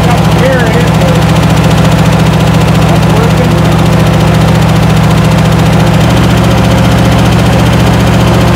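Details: 1972 International Scout II first start after five or six years sitting: steady, even idle with a regular low beat, about three and a half pulses a second, no misses or knocks; running smoothly.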